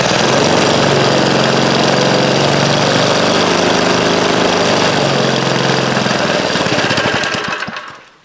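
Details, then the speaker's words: 1956 rototiller single-cylinder engine, primed with a little fuel poured in the carburetor, rusty tank with old gas: steady rapid popping for several seconds, then fading and stopping; carburetor needs work. "well I guess that's all she's going to do without working on the carburetor"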